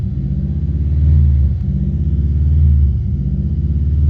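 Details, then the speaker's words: Subaru Impreza with fault code 24 (idle air control/recirculation valve), restarted after cleaning the connector with contact cleaner: idle still swells and sags about every 1.5 seconds; valve possibly sticking, internal cleaning next. "No, so we've just started it up. As you can see, it's still revving up and down."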